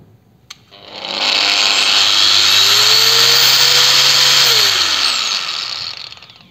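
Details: Procraft PW 1100 ES 125 mm angle grinder at speed setting 6, no load: spins up gradually over about a second to a steady high whine, then winds down fairly quickly. Soft start working normally.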